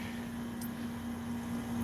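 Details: AC condenser unit running without its compressor sound blanket: steady, low electrical-sounding hum holding one pitch throughout; loud bare compressor noise from the missing blanket.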